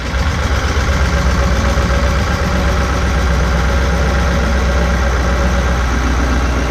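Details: Caterpillar 3208 marine diesel on a boat at idle after a fuel pump was installed: a steady low rumble at about four beats a second, with no misses, knock or smoke and cooling water flowing; healthy idle.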